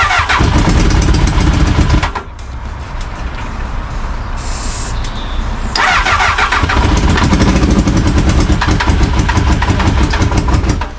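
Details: Crash-damaged Honda Hornet after reconnecting a missing wire: starter churns at quick uneven rhythm, almost catching but never running; cranks but won't start.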